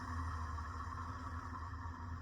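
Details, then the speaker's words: 2000 Heritage Alexis 52-inch ceiling fan at 110 volts, 0.55 amps fan only, running after its reverse switch was flipped: steady low hum with a constant loud mid-pitched whir; worn motor bearings, to be replaced later. "Yeah, we'll get that. We'll get that noise fixed at some point, but won't be today. Probably won't be tomorrow, either. But sometime pretty soon, I will get the bearings replaced on this."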